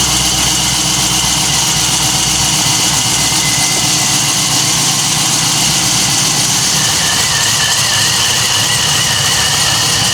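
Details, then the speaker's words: LSA-supercharged V8 swapped into a Chevy Caprice PPV: steady deep idle, even unbroken rumble with no knocks or misses; sounds healthy. "Man, that shit sounds good, Willis."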